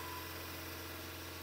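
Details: 2013 Fiat 500 petrol engine after thermostat replacement, idling steady and even with a low hum while warming up and waiting for the fan. The coolant system is bled, vents read 42, and no knocks or stumbles are heard.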